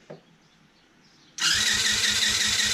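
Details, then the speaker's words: Cheap TaoTao 110cc single, long unstarted, cranking with spark present but no start: starter spins it quickly and evenly with no real resistance; compression tested at only about 70 psi; owner will try tightening the cylinder head. "this thing is almost no compression yeah we're right at about 70 pounds of pressure here"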